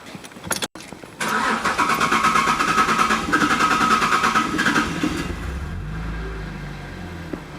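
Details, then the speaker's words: Holden VZ Commodore petrol engine started after fuel filter change and fuel pump fuse refitted, run to get fuel through: starter cranks briefly, catches about 1.2 seconds, settles into steady even idle; normal start. "There we go. Start it up. Just let it run for a bit, get the fuel through."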